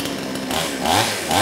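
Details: Kraftworld KW-5800 58cc Chinese two-stroke chainsaw, previously non-starting after being run on straight fuel, now fitted with new carburetor: crisp buzzing note climbing and falling cleanly with each throttle blip; running properly.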